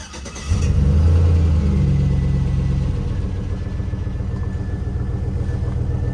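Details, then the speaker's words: Newly bought 4x4 V8 truck with quite a few miles, gaskets and motor rebuilt, but needing a new oil pump: brief crank, clean catch and smooth even idle with no knocks or misses, sounds nice. "right that sounds pretty nice pretty neat"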